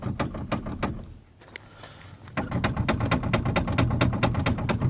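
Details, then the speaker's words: Chrysler Sebring front end with engine off, steering wheel shaken hard: loose knocks about twice a second from worn, sloppy tie rod ends, later replaced inner and outer. "there's something in there that's really causing that to make a lot of noise so hopefully we'll be able to fix it"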